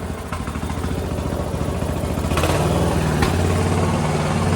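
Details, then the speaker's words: Poulan 42-inch riding lawn tractor with a 19.5hp Briggs engine, neglected, after a carb clean and reconnecting the solenoid plug: steady, even thump settling into a smooth idle with no misses. It runs on its own power; it needs a new battery and an oil change. "Cool. She starts on her own power."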